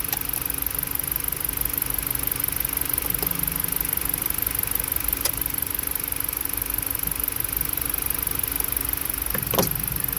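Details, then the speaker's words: Four-cylinder petrol engine idling roughly right after a newly installed PCM, with a steady misfire. Coils are unplugged one by one to find it. "how do you give a customer's car back saying we just put the pcm in we don't know why you're running rough all right it's a full banger"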